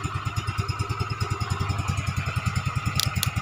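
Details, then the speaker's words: Yamaha Mio Smile carburetted scooter after custom CVT rebuild (Mio Z roller housing, big pulley), tested at night: engine putters at a steady, even idle with no knocks or rattles, very smooth; normal running. "hai eh dari lagi dan itu ya suaranya seperti itu dan sangat halus"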